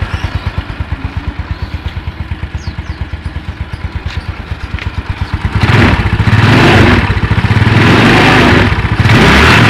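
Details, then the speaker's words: Yamaha Mio Sporty (around 2007) after repair: even idle, then clean revving with no scraping from the CVT. The earlier rough noise at idle and on throttle was caused by the kick-starter pin rubbing the pulley shaft. "Oke, nggak ada perubahan, sip, semuanya lancar jos."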